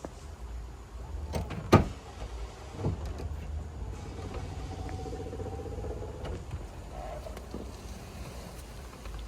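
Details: BMW E36 convertible top motors in the trunk after retiming procedure and bending the motor plate so the gear sits flush: a few soft clunks, then a light, even motor whir with no knocking or popping; motors sound healthy.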